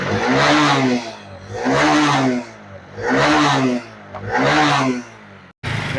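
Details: Honda Shine SP 125 BS6 motorcycle after wiring repair and ignition key lock replacement, fuel pump heard priming: four clean throttle blips rising and falling smoothly with no misses; single-cylinder starts and runs well.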